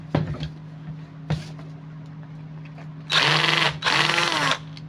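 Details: Angle grinder that made noise and did not work properly, opened for repair: two short bursts of rough, scratchy high whirring; armature (rotor) bad, not worth repairing.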